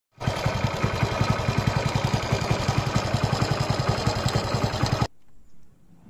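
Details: Motorcycle engine at steady idle: fast clattery rattle over the exhaust beat; timing chain noise suspected, not confirmed.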